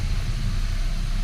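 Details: Hyundai Accent after engine overhaul for oil sludge, bled, start before release: deep, smooth idle with steady even beat, no ticks, knocks or hunting; normal idle.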